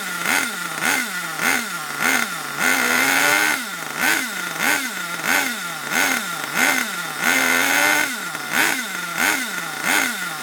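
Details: Long-stored HPI Savage 21 nitro RC monster truck, possibly water inside, last tuned richer for winter; blips about 1.5 times a second with revs sagging and burbling between them; running very rich and needs leaning.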